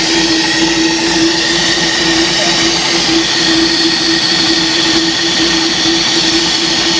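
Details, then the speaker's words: 1966 Ford race truck idling with no air filter fitted: loud steady intake hiss over a constant hum, no knocks or misses; sounds better than before, normal idle. "it sounds better this time my air filter should be here today i think"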